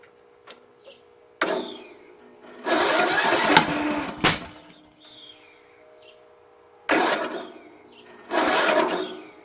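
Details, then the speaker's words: Free Craftsman LT1000 16HP lawn tractor, fresh gas, choke off, on booster with weak charge: several short uneven cranking bursts that never catch; owner suspected off timing but flywheel key proved fine; no start, cause unclear. "Sounds like it's a little off timing, eh? So, maybe I should remove the flywheel and check out the key."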